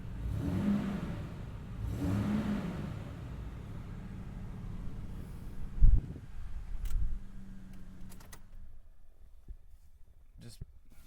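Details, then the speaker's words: 2003 Toyota Tundra, 102K miles, one owner, started cold with the air conditioning on and revved lightly: low, quiet, even hum with a couple of light blips that rise and settle cleanly; normal cold start and rev. "I'll start it up and turn the air on and rev it and all that jazz."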